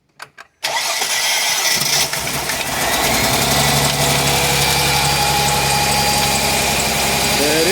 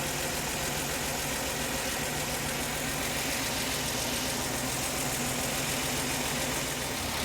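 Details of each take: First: Mercedes-Benz C240 C-Class after fuel injector replacement: brief crank, fires into an unsteady, lumpy idle that slowly smooths out because the fuel rail was empty and is refilling. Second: Mercedes-Benz C240 C-Class just after fuel injector replacement, first start with an empty fuel rail: sounds slightly odd at first, then a steady, even idle with no misses or knocks as the rail fills.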